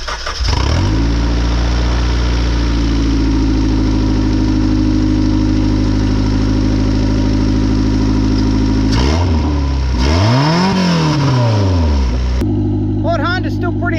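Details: Vehicle with battery just reconnected, heater fan running; engine catches quickly, settles to a steady idle, then revs rise and fall smoothly without misses or knocks; healthy, though both rear brakes turn out locked up.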